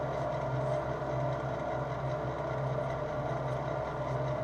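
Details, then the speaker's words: Lathe at lowest speed setting, spindle about 300 rpm: smooth, even hum, steady low tone, no knocks or surging. Normal running. "donc là ma plus basse ça va être ma plus basse vitesse de de volet donc là comme sur un compa ur là je trouve 300 tours 300 tours 305 tours donc environ dans les 300"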